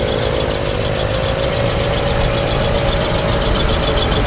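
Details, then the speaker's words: 1967 Mercury Cougar XR7 V8 at idle, smog pump fitted; steady mid-pitched squeal over the idle, thought to be a belt down below, considered normal and not a worry; squeak at idle. "kind of sounds more like a belt nothing I'd be worried about on there but it's kind of a normal the belt down below little speech you speak like that not a biggie to me"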